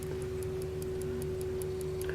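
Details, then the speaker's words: Electrically wound Telenorma mantle clock, possibly from the 1970s or 80s: crisp, even ticking over a faint hum, with a click as the armature flicks over to rewind the spring; running normally. "the armature flicks over and it winds it up the mixers so you can hear it ticking which you would do and also hear the click when it realises the spring"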